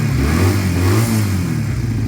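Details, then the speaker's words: Piaggio Fly scooter, very cold, started on choke after choke fix: small single-cylinder ticking over with steady even low beat, no misses; normal idle. "you can hear now it's idling beautifully now that the um the choke is fixed"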